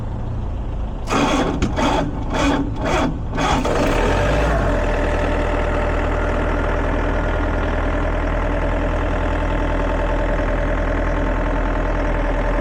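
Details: Diesel air compressor after repair of a burnt 50A fuse from a touching wire: several cranking bursts, then it catches and settles into a steady, even idle with no knocks; running normally.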